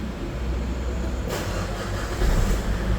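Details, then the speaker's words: 2.5 diesel Ford Everest that only cranked with a crankshaft sensor check-engine code, after replacing the crankshaft sensor: engine catches straight away and settles into a steady, even idle with no stumble. "Ayun start agad mga paps ang naging problema natin talaga Crank shaft sensor"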